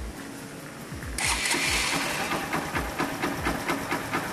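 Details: 2014 Honda Titan 150 after repair for engine noise and no oil reaching the top end: rocker arm replaced, engine cleaned and lubricated. The starter whirs briefly, then the single fires and settles into an even, steady idle. Normal start and idle.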